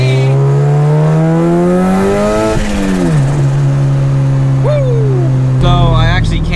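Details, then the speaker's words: Boosted Honda Integra (Project Pepto) on the road after its first dyno tune; engine note climbs, drops cleanly at the second-to-third shift under boost and pulls again, no grinding: normal shift. "But I wanted to let you hear a little second to third gear boost. It sounds amazing."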